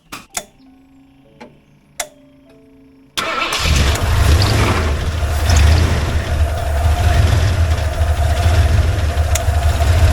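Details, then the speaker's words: 1989 Ford F150: cranking clunks, catches near three seconds, settles to steady low idle with no ticking; yesterday's clanky knocking, suspected loose rocker arms or lifters, has cleared today. "Well, the engine actually sounds better today. And let me explain what I mean by that."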